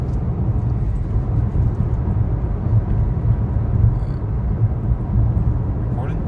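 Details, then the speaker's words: 2013 Chevy Sonic driving on a smooth road with two new front wheel bearings: steady even low road rumble, no hum or growl from the wheels. "in the first clip you'll hear the sound of two new wheel bearings"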